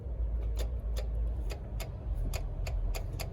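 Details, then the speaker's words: 2015+ Challenger 392 swapped into a 4-door Charger: AC clutch relay in the fuse box jumped with a wire to engage the compressor manually for a Freon charge; sharp irregular clicks over a low engine rumble as the AC clutch engages. "AC clutch clicking. So what I do is I'll jump it, right? I'll jump this over, turn the AC clutch on manually."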